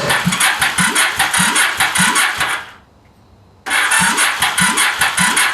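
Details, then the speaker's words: Freshly installed starter, test with a charged battery before the engine guard goes on: strong, even cranking bursts about two and a half per second, a short pause, then the same again. The starter spins properly. "now we're going to try putting power to the starter we should hear the starter motor to turn over that's what we're hoping to hear"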